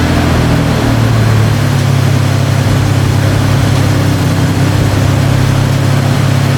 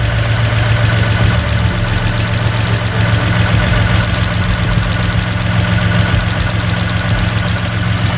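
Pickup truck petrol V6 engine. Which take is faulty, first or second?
second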